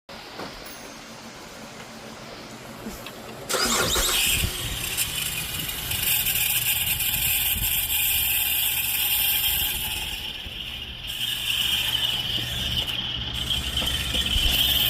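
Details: Chevy engine cranks and catches, then a steady high squeal rides over the idle, pointing to a failing alternator.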